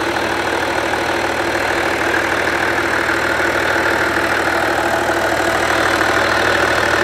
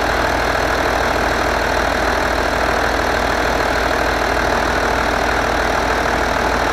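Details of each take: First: Skoda Superb Mk1 2.5 TDI V6 diesel, unused since March 2020, idling after a new boost pipe was fitted to the intercooler; the old burst pipe had caused black soot. Steady even clatter about three beats per second, no hunting or misfire; normal idle. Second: Skoda Superb Mk1 2.5 TDI V6 diesel, unused since March 2020, idling with the boost pipe completely off the intercooler (burst boost hose). Steady rough clatter, no obvious hiss; wrong air-fuel mixture.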